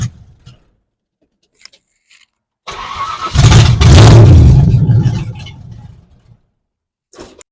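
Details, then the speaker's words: 1970 Ford Falcon with 5.0 small-block swap, won't run after carb clean: cranks, catches and revs for a couple of seconds, then sags and dies; fuel starvation, the fuel filter not yet full. "okay so definitely a fuel issue the filter is not full yet"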